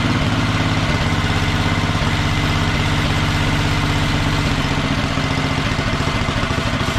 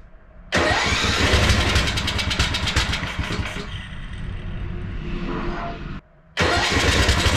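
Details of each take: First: Wheel Horse mud mower with Tecumseh engine, Mikuni-style slide carb, governor arm removed, needle clip at richest position: even, steady low thump at fast idle without misses or surging; running smoothly. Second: Wheel Horse mud mower, stock Tecumseh carb swapped for Mikuni-style slide carb, first start after priming: engine fires, runs ragged, sags and stumbles to a stop, restarts unevenly; owner suspects too much fuel pressure flooding the new carb.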